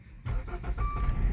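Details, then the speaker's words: 2016 Dodge Dart engine revived after being hydrolocked, first start: brief starter whir, then it catches and settles into a low, uneven rumble and keeps running; check engine light on, thought to be an unrelated sensor; engine starting. "And she lives. She is alive. Got a check engine light, but she's alive."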